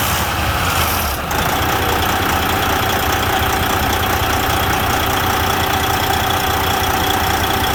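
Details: Semi truck diesel started after a Davco fuel filter change catches and settles into a steady, even idle clatter with no misses or knocks; normal idle.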